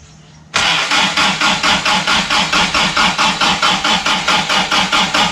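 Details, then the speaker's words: Toyota RA40 with 22RE engine on a frosty morning, after replacing parts: starter cranks steadily about two turns a second but the engine never catches; cold start injector not receiving power from its sensor. "well that's not [ __ ] good it seems she's still got issues that's super annoying after all that effort"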